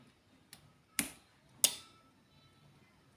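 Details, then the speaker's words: Solar PV low-voltage-disconnect setup: H3Y timer delays switch-on about 10 seconds; in a quiet room a couple of crisp clicks as the timer relay pulls in after its delay, normal switching. "Jadi kalau dari LVD-nya off bareng ya, off-nya bareng, semuanya bareng."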